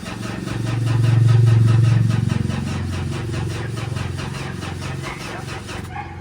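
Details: Mitsubishi Montero that sat long, possibly flooded, check engine light on: steady starter churning about four compressions a second with no firing; cranks but won't start, suspected rodent damage.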